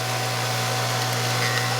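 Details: Hydro-Spa Princess spa with Hydro-Quip CS800-A1 air button controller, pump switched to high speed with heater on (about 10 amps): steady electrical hum under rough, hissy whir from a worn pump motor bearing; a leak also found.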